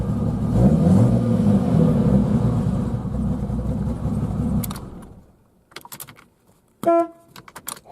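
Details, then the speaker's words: Horn on a 1990 Jeep Cherokee Laredo XJ (4.0L) gives a short, clear, strong, even honk as the engine noise fades; the horn works, unlike the owner's other Jeep. The engine usually tries to die but runs fine now. "Horn works on this one. It doesn't work on mine."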